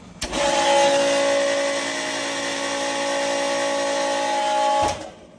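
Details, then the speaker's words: Century 1.65 HP pool pump motor (Sta-Rite Dura-Glas pump) briefly switched on: starts with thump, harsh wavering high whine and rattle for about five seconds; motor failing, to be replaced with new motor and seals. "All right, so you can see that I got a problem, don't I? So I'm going to get my new motor, which is going to cost me about 350 bucks on Monday, and I'm going to take that one off, change all the seals, and put a new motor in. That's my next project. As you can see, this pump is on its last leg."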